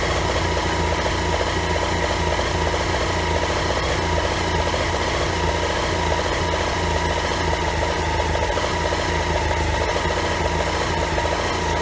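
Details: BMW F800 GS: loud uneven idle with rough lumpy beat, knocking and irregular stumbles; misfires from old, worn standard spark plugs.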